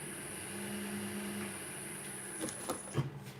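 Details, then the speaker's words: Woodturning lathe started slowly with the piece mounted in a mortise, before hollowing, while listening for knocks or wobbles. A steady low motor hum with a thin high whine, no rhythmic knock or wobble, then a few handling bumps; the lathe sounds good. "And I'm listening out for any knocks, wobbles, strange sounds that would indicate a problem. That sounds good"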